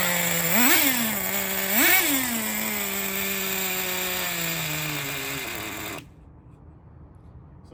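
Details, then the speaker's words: 2006 Traxxas Nitro 4-Tec 3.3 (model 4809), rebuilt TRX 3.3 engine restarted: two sharp throttle blips, then thin buzzing idle that sags in pitch before dying; idle set slightly too low, needs fine tuning. "the idle's a little bit low. Just a little bit low on her."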